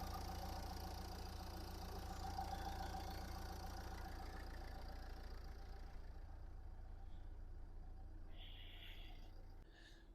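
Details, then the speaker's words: 2010 Nissan Qashqai+2 1.5 dCi K9K diesel, 6-speed, 217,000 km: smooth, even low diesel clatter holding a steady idle, no smoke, no misfire, no knocks; normal diesel idle. "Мотор працює тихо, рівно, не димить, не троїть."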